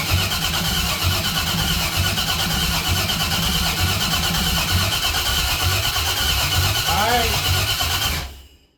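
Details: 6.0 LS-swapped 1968 Cadillac hearse, cranked after a cam sensor swap, with no oil pressure: steady starter cranking at about three beats a second, never fires; later traced to bad gas and two broken wires.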